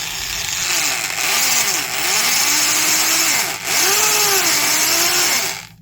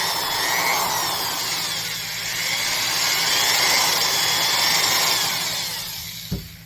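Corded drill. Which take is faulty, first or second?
first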